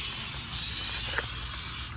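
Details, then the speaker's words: Air line for an impact gun used during a car fuel pump replacement: a steady, sharp hiss from a leaking air fitting that cuts away near the end. The fitting needs replacing. "Okay, sorry about that. Forgot to put the air on. So ignore the leaking air fitting. I need to replace it."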